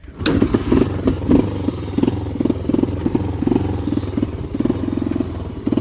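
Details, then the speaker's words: 1985 Honda Fourtrax TRX250 kick-started: single-cylinder thumps with light valve clatter, crisp response to throttle blips; runs strong, no misfire; owner notes it idles down and stalls if left idling. "Got some pep to it, step."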